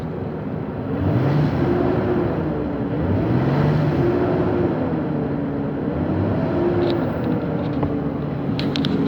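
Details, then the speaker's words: 2006 Nissan Frontier Nismo King Cab started cold at -2°C: fan always on max, a deep hovercraft-like roar that grows louder when revved; owner suspects fan clutch, though fan spins freely by hand engine off. "now when I turn it on there's a sound it just goes into overdrive and this sound like a freakin hovercraft I'll show you what I mean"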